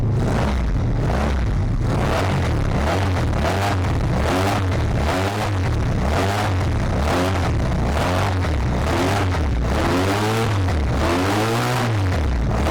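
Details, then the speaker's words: 1985 Honda VF700F V4, first start after carb rebuild and new pulse generators, adjusting idle; repeated throttle blips each fall cleanly back to steady idle without hanging; owner judges neither lean nor rich. "we'll try to get that idle to come down and see what we can do good idle comes right back down so I don't think it's lean I don't think it's rich"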